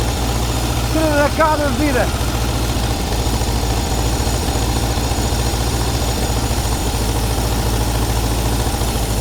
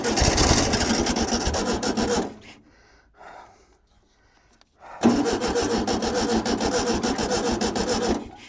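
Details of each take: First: Air-cooled VW T2b pickup engine, unused for 34 years; a low, slightly uneven idle that keeps running without stalling; it is alive, but the oil is full of petrol and must be changed before running longer. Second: VW T2b pickup abandoned 34 years; the starter churns for about two seconds, pauses, then cranks three more seconds without catching, and the crew suspects something is wrong with the electrical current.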